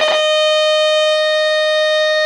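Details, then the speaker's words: Homebuilt three-stage regenerative valve receiver, test oscillator signal injected at the control grid of a valve stage: loud, clean, steady mid-pitched beep for about two seconds; all audio stages from that point on work correctly. "aquí sí que se oye fuerte el pitido eh o sea que esto hasta aquí tenemos que la baja frecuencia todo ese circuito de aquí pues todo esto de de partir de este punto de este punto hacia hacia aquí pues de aquí para hacia el lo tenemos todo correcto"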